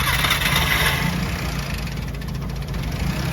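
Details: Nissan GA14DNE engine just after start-up, owner wants to replace head gasket: fast metallic rattle about four beats a second over uneven idle, source being diagnosed; engine rattle at idle.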